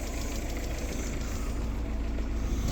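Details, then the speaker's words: VW Polo 6N with AFH engine conversion, first run after reassembly and not run for a good while: low, lumpy idle with an uneven, shaky beat and some loose knocking; owner blames sitting unused, probably needs oil. "So after putting everything back in, It sounds like rubbish, but it's because it's not been run for a good while. Probably needs oil as well."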